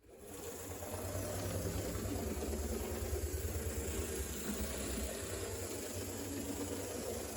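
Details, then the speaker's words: HO scale Alco Spirita 76 diesel locomotive, runs fine after sitting a long while: steady even motor hum with light gear whir, no catches or surges running forward; smooth, healthy drive. "And this one, again, it does run perfectly fine. It's just been sitting for quite a while."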